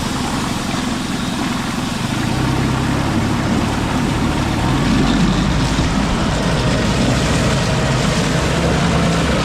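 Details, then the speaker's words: Honda outboard revved in a bigger bucket to test fully under load, peeing good water; steady strong drone with even beat, no stumbling or rattles; normal running under load. "Just going to put it on a bigger bucket just so I can kind of really rev it and test it fully under load. So, let's see how she runs."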